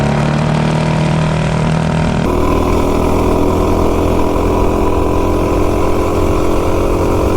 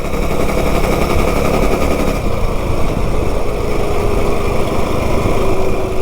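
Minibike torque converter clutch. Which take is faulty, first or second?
second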